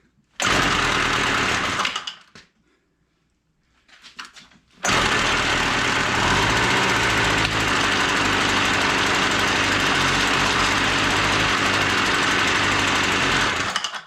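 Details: WeedEater Featherlite two-stroke string trimmer found dumped, full of water and without spark, now running with no choke after carb screw adjustment. After a brief stall and sputter it settles into a steady, even buzz: normal running.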